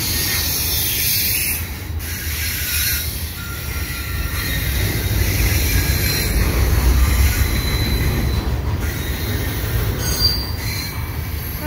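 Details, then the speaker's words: Westbound CPKC 119 double-stack and mixed freight, led by an ES44AC and AC4400CWM with a CN ET44DC as DPU, at night at Sainte-Anne-de-Bellevue: a heavy rolling rumble with thin, high wheel squeals as the train grinds around the curve. "oh listen to this thing squeal squealing around the corner and it takes the curve under the"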